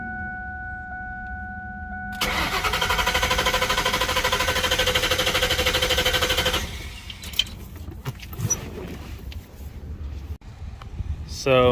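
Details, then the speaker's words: 2000 Ford Mustang GT abandoned in a parking lot, after a transmission install with exhaust open: strong even cranking for about four seconds, good compression, fuel present at the rail and pump running, but it never starts; crank, no start. "after going through a lot more things testing the alternator and uh the battery trying to figure out why it's cranking but not starting"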